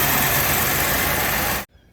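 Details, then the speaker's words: 1988 Buick LeSabre 3800 V6 fuel-injected after harmonic balancer replacement: steady, even idle with no knocking before cut-off; the engine sounds healthy. "So she's cranked up, she's running. It's like everybody's happy. No knocking sound. We are good to go."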